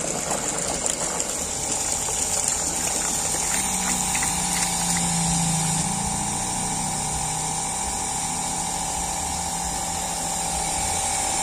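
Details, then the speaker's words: Weak water pump after a low-cost restoration, drawing from a 1 m suction lift: steady motor hum with constant high hiss of water flow, no knocks or surging. Pressure now nearly 3 bar (about 30 m head) versus 1.2 bar before; like new. "luar biasa teman-teman hampir 3bar sudah seperti baru karena ini masih menghisap satu meter ya teman-teman"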